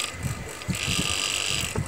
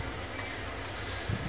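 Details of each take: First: Cooler mini motor, copper, 2800 rpm, at high speed: high-pitched whine with rough uneven rattle; heavy play in worn bush (sleeve bearing), also slows down while running; fix is replacing the bush. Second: Cooler mini fan motor after repair: it made loud grinding at high speed and slowed down because the bushes were worn out; bushes replaced, now runs smoothly with a steady low hum and airy hiss, no noise.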